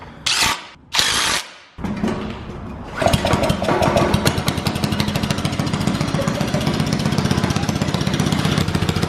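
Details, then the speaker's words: After handling knocks, a small dirt bike engine mounted in a drift trike revs through an open straight pipe with loud sharp popping pulses, which sound like backfiring. "dude it sounds like it's backfiring it is"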